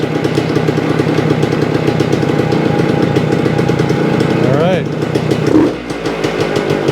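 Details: 1975 Suzuki TS-250 two-stroke, 6-volt system, after no-start repair: crisp buzz holding steady, then a quick blip and drop back; runs properly after stator rewired, frame paint scraped and coil remounted for ground.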